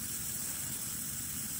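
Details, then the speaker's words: Coleman 508A single-burner stove after leaking check valve was repaired, previously losing pressure and flame: strong, steady roaring hiss with no sputter or surging; good pressure, normal burner roar. "Oh, I can hear the pressure. You hear the pressure? And I can hear the liquid coming up. That is a beautiful thing."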